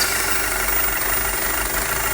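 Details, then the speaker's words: Audi A4 2.0T with codes P0171, P2187 and P2279, idling with the dipstick pulled in the engine bay: a strong airy hiss as the air volume jumps, and the oil cap can't be removed from the suction. Failed crankcase ventilation (PCV) valve; replacing it fixed the fault. "So as you can hear that the volume of air changed tremendously, and if you try to remove your oil cap you will not be able to remove your oil cap. There's just too much suction."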